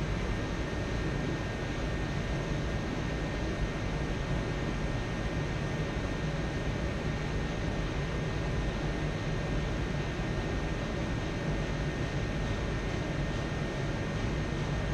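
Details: Dyna-Glo Pro 135,000 BTU forced air heater fired up after cleaning, air pump pressure spec 5.5 psi; constant even burner and fan roar with faint steady hum, no sputter or surging, running smoothly.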